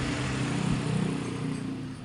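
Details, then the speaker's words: BMW E46 325 after alternator rear-bearing repair: smooth steady low idle, calmer than before, with no humming or bearing noise from the alternator at shutdown; sounds healthy. "ini mesin juga agak lebih anteng daripada yang kemarin"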